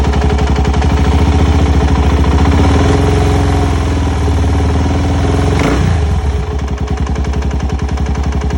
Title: 04 ltz400 knocking noise